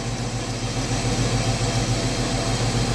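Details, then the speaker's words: Chevrolet Omega 4.1 six-cylinder idling after replacing an oversized valve cover gasket that kept the intake manifold from sealing with the thinner original SABO one: smooth regular pulse about 3.5 beats per second, no tapping or puffing; fixed. "fica a dica né sempre fazer as medições nessa vez eu dei esse vacilo que eu não medi a junto a gente com essa palha mas agora tá aí ó funcionando redondinho é"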